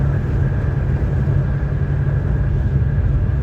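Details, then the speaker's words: Loud steady low tyre drone on rough pavement with faint thin whine above, fading on smooth road; noise changing with road surface points to a worn tyre rather than wheel bearing, suspected not confirmed. "So if that uh squeaky whining sound it is there on a certain road and then when you move to another kind of road or road that is smooth and then it goes away that means it's a tire that is worn out."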